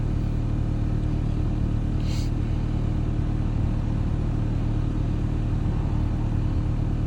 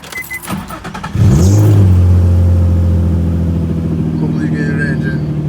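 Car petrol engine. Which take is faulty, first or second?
first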